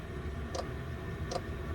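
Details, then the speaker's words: Chinese diesel air heater starting up indoors at 13 degrees: two soft, evenly spaced ticks under a steady fan hum as the fuel dosing pump kicks in and pulses normally. "okay so you can hear that the pump's just kicked in"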